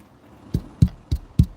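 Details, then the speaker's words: Speakers in a 2003 GMC Yukon XL, never blown: four clean, punchy bass thumps about a third of a second apart with no rattle or buzz; speakers healthy. "my speakers how long do they last they I've never had a speaker blow out on me on these yeah my speakers my my speakers uh they've never blown"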